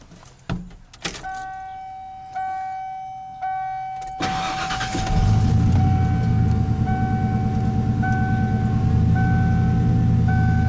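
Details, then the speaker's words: Ford 302 V8 after new TFI ignition module and distributor installed, timing not yet set: cranks with chime, catches into slightly lumpy uneven idle, still a bit rich; timing adjustment needed. "It's still running a little bit rough. That's pretty close."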